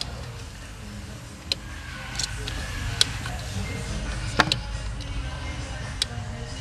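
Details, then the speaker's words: 5.7L Hemi overheating, high-speed radiator fan commanded on via scan-tool actuator test: sharp single clicks about every 1.5 seconds over a low hum from the likely high-speed fan relay, but the fan never turns. "This one right here. This is likely the highspeed fan relay. It's going off, guys. Now, do y'all see any fan movement? No."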